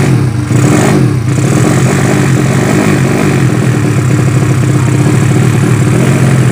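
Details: Yamaha Vega ZR with swapped Mio cylinder bored to 200cc (66 piston, standard stroke), Tiger carburetor, being test-started after long storage; single-cylinder runs with flat, uneven beat and hesitant pickup, carburetor not yet set, still running lean.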